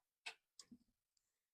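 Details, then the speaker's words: 1996 GMC K2500 OBS truck: one sharp click per key turn, power present but no crank; the starter was replaced and the truck started. "So, I turn the key. I don't know if you can hear that click, but there's like a click that goes off every time I try to fire it up. And there's power, but there's no crank."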